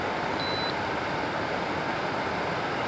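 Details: 2013 Frigidaire FAD504DWD 50-pint dehumidifier after fixing its faulty control panel by cleaning dirty button contacts with electrical contact cleaner: one short high beep over a steady fan hiss; the control panel now responds normally.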